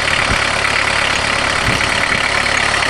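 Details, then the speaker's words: Jetta-converted mechanically injected diesel van, cold, just after priming the empty injection pump: even loud diesel clatter at idle, roughly three beats a second, no misses; normal cold diesel idle. "Perfect. They sure are noisy when they're cold."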